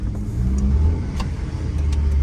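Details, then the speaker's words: Skoda Fabia 1.2, high mileage, with new exhaust back box and bracket fitted, on test drive: steady, deep, even exhaust drone through the revs, very quiet, no puffing, ticking or blowing; exhaust sealed, previous loud exhaust fixed. "yeah very quiet yeah that's it that's how it's meant to be"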